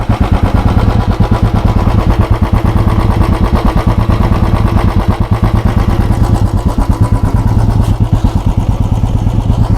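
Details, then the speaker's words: Royal Enfield Bullet 350 BS6 Standard at idle, with slightly higher idle rpm than the BS4 Classic: slow, even big-single thump with no knocks or rattles; normal idle. "BS 6 मानक शब्द। इसका RPM थोड़ा अधिक महसूस करने के लिए तुम कर सकते हो।"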